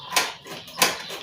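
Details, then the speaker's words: Bicycle V-brake whose lever won't return: two short, scratchy, dry rasps as the lever is squeezed and released, the brake cable dragging inside its housing; suspected dry or rusted inside the housing. "gosokan disini adalah gesekan kabel dengan selubungnya Y Pasti masalahnya disini kering di dalam atau itu berkarat"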